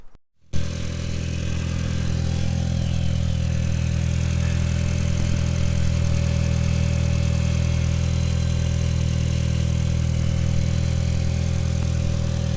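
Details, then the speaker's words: MK4 Golf GTI after replacing the aux belt and tensioner to cure a tensioner rattle: starts cleanly and settles into a steady, even low idle with no rattle or chirp from the belt side; normal. "so I think the last thing to do is just run it up and make sure that it runs all good"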